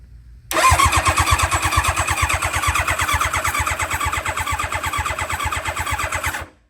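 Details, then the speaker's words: Barn-find nitrous Hayabusa, cranked on starter with fuel pump and ignition unhooked to prime oil: even cranking, about three compression pulses a second, no knocks or grinding; oil pressure reaches 25 psi, healthy. "Oh yeah, 25 PSI just off the starter box there. That's what we want to see before we actually try to start this thing."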